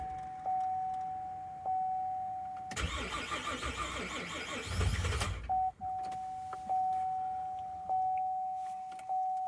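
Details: 2011 Chevy Traverse 3.6L V6, towed in after dying on the highway with a noise, battery low, cranked with a jump box: warning chime repeats, starter churns about two and a half seconds, engine doesn't catch; long cranking, no start. Failed timing chains suspected, codes P0011 P000D P0024.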